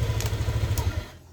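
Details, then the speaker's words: Honda Vario Techno FI 160cc scooter after fixing electrical cutouts and dead electric starter caused by faulty fuse box wiring and connectors: starts on the starter and holds an even low idle putter, running normally. "Nah, nih coba starter. Nah, jos ya beres."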